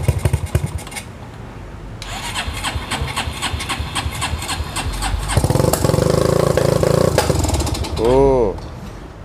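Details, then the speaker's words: Customized Honda Megapro motorcycle with a coughing, backfiring ("nembak-nembak") complaint starts and runs unevenly, with irregular coughs and pops breaking up the beat instead of a steady thump. Misfire. "motor ini nembak-nembak teman-teman, dan keluhannya seperti ini."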